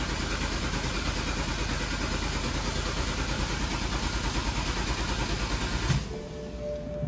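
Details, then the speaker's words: BMW 328i no-start after fixing a backwards fuel pump connector: steady starter cranking about three turns a second for six seconds, never catches; fuel reaches the rail but injectors aren't firing and no spark, suspected DME issue. "ah yep fuel coming out which means the car has fuel the fuel injectors are not firing"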